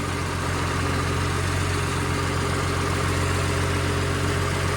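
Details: Humvee with a swapped-in Cummins diesel idling in the garage after the air bubbles were worked out: a steady diesel clatter at an even idle with no misses or knocks, oil pressure about 58 PSI at idle, a healthy engine.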